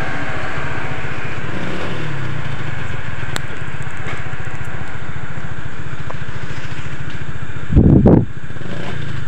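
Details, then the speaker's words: Honda Vario 125 scooter after a repair for a fuel pump that wouldn't hum and lost ignition, ECU in mode one: a steady, even low thrum with crisp throttle pickup. Running normally with responsive throttle; the delay came before the ECU fault codes were reset. "Oke Guys Alhamdulillah ya untuk motornya sudah normal ya kita gas udah responsif ya untuk gasnya nak delay"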